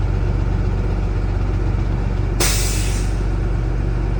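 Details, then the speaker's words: Gray Line bus during pre-trip inspection, diesel at high idle: a sudden sharp hiss of air lasting about half a second as the air governor cuts out at full pressure. "Did you hear that? >> That is the governor cutout."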